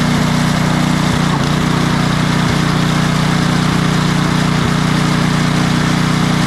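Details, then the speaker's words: Craftsman 28" snowblower with Briggs & Stratton 11.5 hp snow series engine, after cleaning out bad fuel and fitting a new carburetor: it holds a steady, even speed with no surging or hunting. Before the fix it surged off choke and died in deep snow. "I'm just going to show you here the difference in running between what it was just doing and what it will do now that we've got it all cleaned out of that bad fuel got a new carburetor on it something that's going to give us a good running unit"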